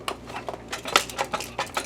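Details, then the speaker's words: Optoma X600 DLP projector that flashes its LED and won't power on: shaking the case gives irregular light clicks and rattles of small hard pieces tumbling inside, a loose part; the door switch had detached and was hanging inside, likely from a bump. "Hear that? There's something in there. I am suspicious."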